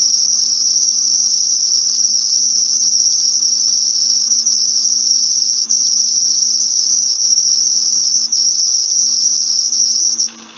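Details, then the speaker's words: Intermittent rolling bearing squeal, piercing and high-pitched with its energy between 5 and 6 kHz, running on and off; adding grease most likely makes it disappear temporarily. "I would be very worried listen to this noise and but each student this is the reason why I'm showing off this this part so yeah it's really on and off on and off okay"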